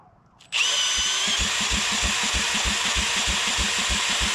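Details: Old Rosco Vibra-Pac asphalt roller packer engine, cranked after cleaning electrical connections: even chuffing about three a second under steady starter whine, never catches; no spark found, cause not identified, repower considered.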